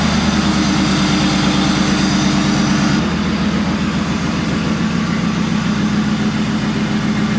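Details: 2004 Dodge Ram SLT 1500 V8, intake not fully assembled, cam position sensor code: even idle with loud open-intake roar, no ticking from front of engine, timing chain doubt unfounded; normal idle.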